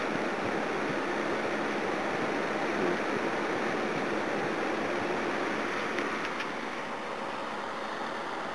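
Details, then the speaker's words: Old (about 50–60 years) 240 VAC electric heater fan (1800W/2400W units) after cleaning, painting blades and lubricating; soft steady airy rush with no ticking, rubbing or wobble: normal fan running. "uh the fan spins now it's quite good"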